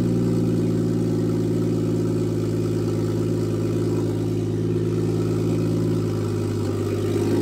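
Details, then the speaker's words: Toyota Aristo on new Garrett G35-900 turbo, first start with only about six inches of exhaust after the turbo: very loud, raspy idle, deep steady drone, no knocks or misses; normal idle. "You can hear it, it's really loud. It doesn't have but maybe 6 inches of exhaust on it off the turbo."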